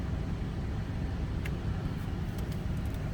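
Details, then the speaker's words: 1978 Cadillac Eldorado Biarritz V8: starts easily and idles with a deep, steady rumble with no misses, knocks or ticks; runs smooth and sounds good. "So easily that starts and runs smooth, sounds good."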